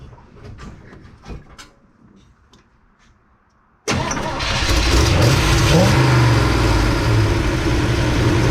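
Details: 1971 Chevy C10 small-block V8 after in-truck cam, lifters, timing chain, intake, 4-barrel, distributor, plugs, wires, timing and valve set: starter catches, fires at once, settles to steady even idle with no knocking, though smoking a little.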